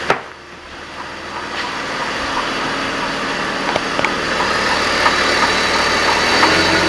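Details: BMW 330i with a galloping clank only at idle, still present after changing the primary chain tensioner. It goes away when accelerating and the car drives fine; uneven beats three or four a second, source undetermined.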